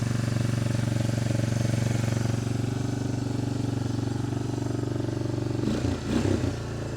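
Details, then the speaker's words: 1988 Honda FourTrax TRX300 single, cold on choke, no airbox lid: steady, even low thump at slightly raised revs, no knocks or rattles; quiet, healthy. "so it'll run all day long little high revved because it's uh choked right now but if we unchoke it"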